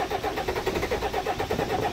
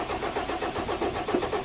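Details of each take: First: 1991 Ford Explorer turbo diesel, sat unused since July 2016 after axle and gear-ratio work, cold start after priming the fuel pump and charging a drained battery; fires and settles into an even diesel clatter with steady pulses, no misses or knocks: normal idle. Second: Cranking with no start on a 1991 Ford Explorer turbo diesel, sitting since July 2016: the starter turns it over in an even, steady chug but nothing fires.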